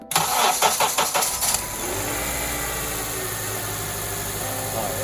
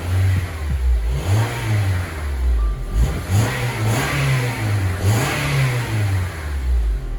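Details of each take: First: Honda Element with a blinking check engine light, cold start: it cranks, catches and idles with an uneven stumbling beat. Misfire felt mainly on acceleration; a possible injector issue is suspected. Cylinder misfire. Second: Honda Element with blinking check engine light and misfire heard at cold start, now warmed up: engine revved from idle rises and falls smoothly with no stumble; no misfire present at the moment, cause still undetermined (no EGR fitted).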